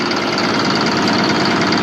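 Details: Allis Chalmers 7580 tractor diesel at idle, just fitted with a new factory-style muffler replacing the chrome stack. Even, muffled rumble with no knocks or rattles; it sounds more like a 426 and is still loud, but quieter.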